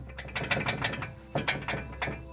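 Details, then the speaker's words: 2002 Ford Windstar, raised front wheel rocked by hand: quick uneven metallic clicks and clunks from a bad wheel bearing; the hub and bearing assembly will be replaced. "And that was the other side was a perfect example of a tie rod that's bad. And this is the perfect example of a bad bearing."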